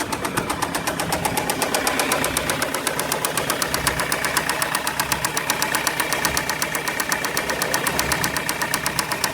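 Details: 2004 Ford Transit Connect 1.8 diesel, 132,000 miles, hard to turn over: sharp, regular metallic knock about four per second from start-up at idle over the diesel clatter, with lots of white smoke; owner suspects head gasket or head, unconfirmed.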